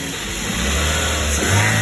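Steady, even idle with a low hum that climbs smoothly as the throttle opens; no knocks or misses, so the engine sounds healthy.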